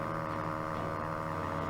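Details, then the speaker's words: 1934 Philco Model 45 tube radio at first switch-on before restoration: a steady low mains hum with changing, wavering tones riding over it, which the owner blames on the old paper capacitors. "interesting huh Oh changing tones so with all those paper caps in there it's no wonder it sounds like crap"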